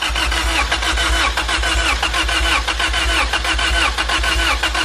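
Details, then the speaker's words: Engine with ignition on, no injector noid-light flash: rhythmic cranking about one and a half pulses a second, never fires; crank no start, ECU ruled out, problem suspected in wiring somewhere. "all right so the problem is not that we have a bad ECU and most certainly lies in a wiring somewhere"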